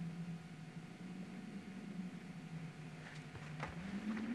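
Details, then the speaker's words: Plamen Tara small cast-iron wood stove with the damper fully closed, so only the glass air-wash supply is open: a thin, wavering low whistle over quiet room noise as air slips easily through the simple upper slot into the firebox. "выборе печки у вас может сохраняться такой свистящий звук это происходит именно потому что воздух очень легко пробраться через верхнюю щель в топку"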